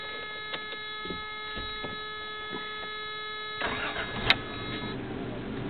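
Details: Toyota 3VZE engine after a rebuild, about 15 miles on the motor: the starter spins briefly, then the engine catches cleanly and settles into an even idle with no knocks or ticks.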